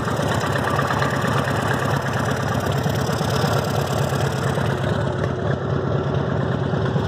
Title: Harley Davidson Evo rod knock or lifters?